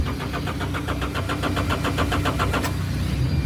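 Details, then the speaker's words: John Deere loader: steady cranking at about four compression beats a second that never catches; the fuel shutoff solenoid isn't pulling in, likely from failed magnets. "it's not doing nothing come around to the back of the engine here and you can see your shut off solenoid here"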